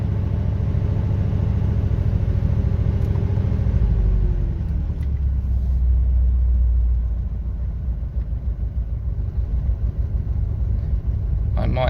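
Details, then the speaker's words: 1974 Triumph Dolomite Sprint, cold engine, light throttle blip: deep, uneven low rumble pulsing about three times a second; cause of the deep note unclear, owner unsure and plans an oil pressure check. "I'm not sure if it had come through on the mic but if I try just went brevet too hard cause she is cold this is deep thought"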